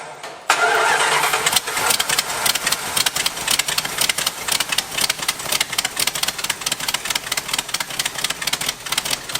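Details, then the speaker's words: 1986 Dodge Ramcharger engine fed from a temporary boat fuel tank catches after a short crank, runs ragged and uneven without settling to idle, then dies; fuel is confirmed reaching it. "oh it dies but all right we got fuel at this point"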